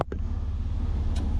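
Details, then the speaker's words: Jeep Cherokee XJ with new cooling parts and electric fan, restarted heat-soaked after a roughly 20-minute drive and sitting off in the heat, temperature just under 210: catches and settles into a low, even idle with no misses or hunting. Normal idle. "Okay, looking good so far. It's not running rough or anything like that."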